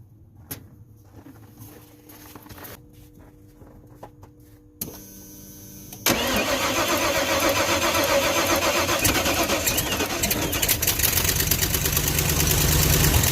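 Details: Plow truck at 10 degrees, with a battery charger piggybacked onto a booster pack: after a quiet stretch the starter cranks briskly and the engine fires quickly to a strong, steady idle with a couple of revs. Strong crank and start.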